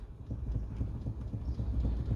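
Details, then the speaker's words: 2012 Hyundai i30 2.0 automatic, engine off: dull low knocks in quick series as the wheel is rocked, from a worn bushing between the electric power steering motor and the steering column, causing wheel play. "é uma direção elétrica então entre o motor elétrico EA coluna de direção tem uma bucha o que ela acaba folgando e faz esse barulho"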